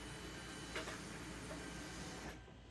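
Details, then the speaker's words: 2012 Dodge Durango 3.6 L V6 at key-on, microphone on the floor near the fuel tank: a soft steady whir for about two seconds, then it stops. This is normal fuel pump priming, which was not heard that morning when the vehicle would not start (code P0522 logged). "You hear all that? That's the sound of the fuel pump priming, getting ready to pump."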